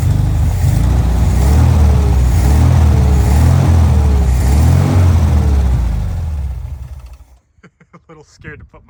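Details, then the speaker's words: 1974 VW Thing air-cooled engine after freeing a throttle stuck wide open, running on fuel in the float bowl: deep even thrum, throttle blips rising and falling cleanly, scat exhaust; runs normally. "it runs the scat exhaust sounds pretty cool I'm surprised it's not all plugged up but um pretty cool pretty sweet it runs"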